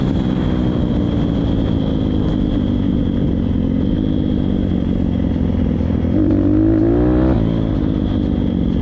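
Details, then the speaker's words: Kawasaki KLX 160 track pit-bike engine: single revving at part throttle with uneven, blubbery beat and sluggish pickup; running too rich, too much fuel not burning. "mais saab route toujours en fait un moteur trop d'essence ça n'arrive pas à brûler"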